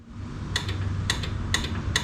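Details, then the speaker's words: 1961 Chevrolet Parkwood, original wiring unused since the 1960s, key on: sharp evenly spaced clicks about every half second from the washer pump, possibly a built-in relay, ground confirmed, but the wiper motor never runs; motor suspected bad. "so the pump that's built into there we've got it at least clicking I'm assuming there's a relay built into it all uh so at least I know now we're providing ground to it cuz if we weren't we wouldn't have that"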